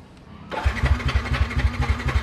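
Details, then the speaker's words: Yamaha NMAX fuel-injected scooter that won't start: starter cranks steadily with even compression pulses about three a second but never catches; fuel pressure reached four bar and fuel lines checked, so not fuel; cause is a faulty spark plug. "ayaw ayaw so hindi fuel ang problema natin mga sir"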